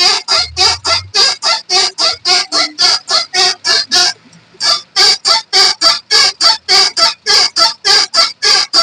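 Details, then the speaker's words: Hyundai i10 front suspension, wheel rocked side to side: dry high-pitched creak about every half second, the kirr-kirr noise heard over humps and steering; traced to the lower arm, a dry rusted lower ball joint. "ആ sound നമുക്ക് കിട്ടുന്നത് ഇതിന്റെ lower ആമിന്റെ ഭാഗത്തുനിന്നാണ് ആ ഒരു sound കിട്ടുന്നത്"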